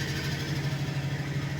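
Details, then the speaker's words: International engine cold-started with choke after six months of storage, about 40°F or colder in the garage; fast light ticking over a steady low idle, lifter tick expected to quiet once oil circulates and it warms. "We're going to hear lifters, but they should quiet down once it gets warmed up just a little bit."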